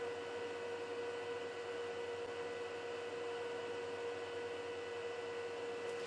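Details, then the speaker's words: Juniper EX2200 switch, stock fans just after booting, measured about 50 dB in front: a steady, loud airy whir with a fixed mid-pitched tone; fans too loud, to be swapped for Noctua fans. "I don't like that that's too loud I mean that's that's just from the booting so as you can hear it will get a little bit quieter but it's still relatively loud"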